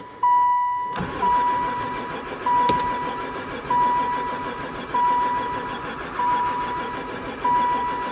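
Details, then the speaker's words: Van sat unused about four years, barely ran before: starter cranks in repeated bursts, never fires even with fuel added to intake; owner suspects no spark. "don't seem like it never fired once"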